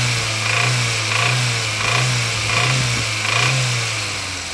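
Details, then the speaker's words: Nissan Sunny, rare engine, brought in on a low loader, revved up and down about every second; a heavy deep knock rises with revs; big end bearing knock. "oh she's not not sounding good now is she sir yeah yeah that's what it's doing on my"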